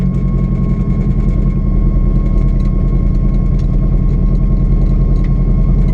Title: GTT First Drive Misfire ?